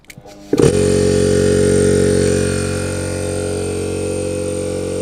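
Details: Air compressor motor on SSR soft starter: spins up smoothly in under a second, then steady even hum easing slightly as pressure builds to about 6 bar; starter stays cool, runs normally.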